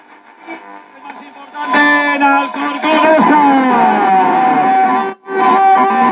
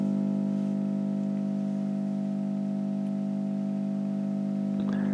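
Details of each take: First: 1960 Telefunken Capricho U2025 FM tube radio after repair, which had a bad 35W4 rectifier and weak tubes: stations sweep in clearly with music and a gliding tuning whistle, strong steady volume; receiving properly. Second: 1960 Telefunken Capricho U2025 FM valve radio, bad 35W4 rectifier bypassed with a resistor, set to shortwave: steady low speaker hum, no tuning noise; another fault still remains to be found.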